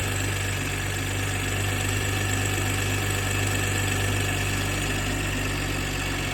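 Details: BMW G20 M340i B58TU at 42k gives a light fast metallic tick, about three per second, at cold-start idle for only about one minute, then sounds normal; cause not pinned down.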